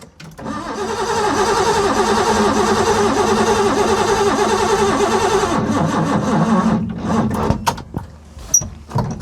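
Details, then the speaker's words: Ford Capri 3.0L V6 stored 20 years, on a booster pack with petrol poured in the carb: starter churns evenly for about six seconds with no catch at all, then drops off; owner suspects no spark, later traced to dirty points. "So, I do have to come back in another day and find out. It's probably no spark."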